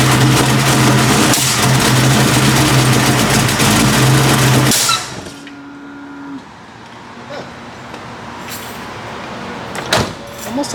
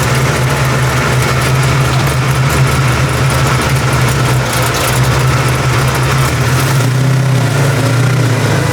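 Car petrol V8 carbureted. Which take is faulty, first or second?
first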